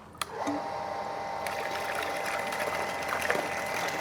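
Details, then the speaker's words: Shimizu PL-122 BIT shallow-well pump with 100% copper-wire motor, drawing about 190 W on a wattmeter: steady even motor hum with light hiss of flowing water, no knocks or rattles; normal running with strong output for its class. "Untuk mesinnya sendiri ini untuk semburannya tergolong kenceng di kelasnya."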